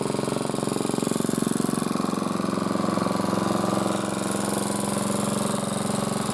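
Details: Single-cylinder motor-cultivator, which knocked and stalled in autumn with a suspected tapping valve, runs after valve clearances were set (intake 0.20, exhaust 0.15): quick, very regular putter around three beats a second, no top-end tapping; normal running.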